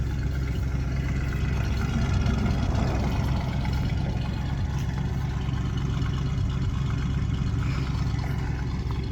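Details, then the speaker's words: Free plow truck V8 running on its original ignition module after a burned ground strap problem, now firing on all eight: steady, even low rumble with no misses over nine seconds; normal idle. "dang that is what you call a runner ladies and gentlemen we'll take that sounds pretty"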